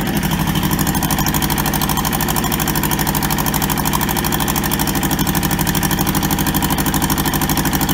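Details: Toyota SDK4 skid steer diesel, restoration project, running after first successful start; even rapid clatter at idle, about three firing pulses a second, no misses; engine healthy.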